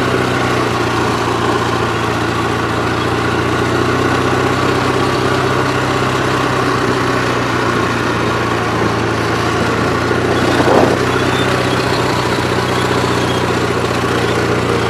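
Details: Gravely 8163-T twin-cylinder tractor after a fuel filter change: even, steady drone holding constant speed on the governor with no surging or misfire; it runs healthy.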